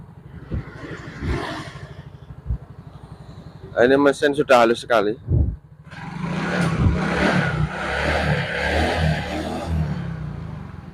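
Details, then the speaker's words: Yamaha Mio GT scooter after replacing CVT rollers, slider and rear gear oil and a chipped part: even idle putter and smooth rev without the earlier clattering; normal idle and rev. "tidak terjadi suara kelapak seperti tadi"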